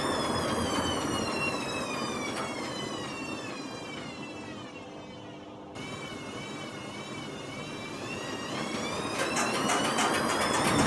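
Drum spinning up with a rough, rolling roar and whistling tones that rise with speed; worn drum bearings on spin.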